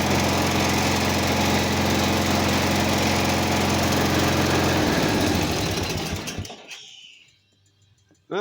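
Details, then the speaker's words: Simplicity 4212 lawn tractor during restoration, after first start: steady, even single-cylinder beat at constant speed, then clean shutdown; runs and starts well, though owner suspects something with the carb. "runs good. It runs and starts good."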